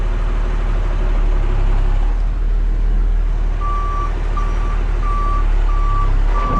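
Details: 1975 Dodge D600 auction truck reversing: clear high beeps about every 0.7 seconds over a low rumble; the backup alarm sounds regular and is working.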